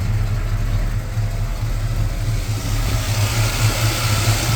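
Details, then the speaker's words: 1987 Chevrolet V10 V8 idling after a new Carter electric fuel pump install, primed by sucking fuel up the line to the filter: a low, steady idle with a soft regular lope and no stumbling; the filter is not completely full, but the engine runs fine. "Put the pump running. Was able to prime it. Uh, it's running."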